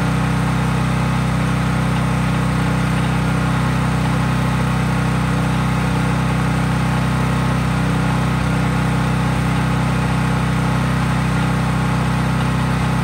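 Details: Craftsman 5000 W generator at full speed with only an LED bulb plugged in, effectively no load: steady, even low hum, no surging or misses; normal no-load running.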